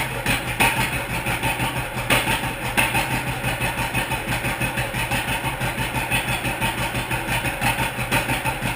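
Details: 1942 John Deere Unstyled A two-cylinder, previously stuck engine, first start after new spark plug wires. Slow, steady, evenly spaced pop-pop idle. The engine is idling cleanly and is healthy.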